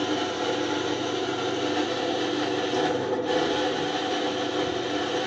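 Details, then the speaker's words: Universal washing machine motor running before repair: steady, harsh rasping hiss with no rhythm, motor very noisy; noise from the motor's worn ball bearings, which are to be replaced. "Friend आपको इसकी आवाज़ आ रही होगी, कितनी इसकी ज़्यादा आवाज़ है। फ्रेंड इसकी मोटर बहुत ज़्यादा आवाज़ दे रही है, इसके मोटर के बैरिंगों में से आवाज़ आ रही है।"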